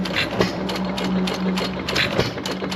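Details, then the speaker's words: 1925 1.5 hp Sattley hit-and-miss gas engine after Wico EK magneto repair: steady low hum, sharp firing pops and clicking valve gear about every half second; normal hit-and-miss running. "good running Motors they usually sits in our display down low pressures"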